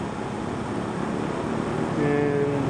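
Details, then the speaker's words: Vintage McGraw Edison box fan after bearing cleaning, half an hour on low, motor only warm, then cycling speeds: steady airy whoosh with soft hum stepping to a new tone partway; runs smoothly. "now we've been running for half an hour and it is warm to the touch but absolutely nowhere near where it was last night"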